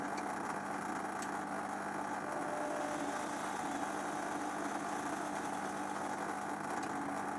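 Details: Zanussi XC FJS1225 Jet System washer, 5 kg, 2003 serial: steady even hum at constant pitch, no grinding, rattle or surging; drain pump running normally.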